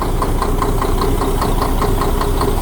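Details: Diesel truck engine at idle: sharp regular knock about five times a second over the rumble; loosening injection pump lines to injectors one by one, knock disappears only at the last one; injector or injection pump suspected.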